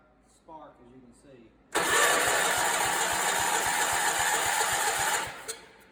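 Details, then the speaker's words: Allis Chalmers 416 garden tractor, barn find, first start attempt after fuel tank re-plumbed, small tank connection leaks; starter cranks steadily about four beats a second for three and a half seconds, engine never catches; cranks but will not start. "well that thing won't start"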